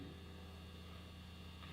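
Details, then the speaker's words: Electric guitar plugged into an amp, volume turned totally off then back on: a constant low buzzing 60-cycle mains hum with no rhythm, picked up by the pickup and steady throughout. "There's our level 60 cycle hum. Totally off and back on."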